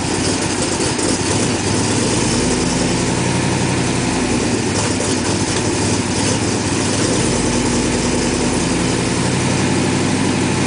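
Steady, even low drone with no misses, knocks or ticks through the whole run; engine idles smoothly and healthily.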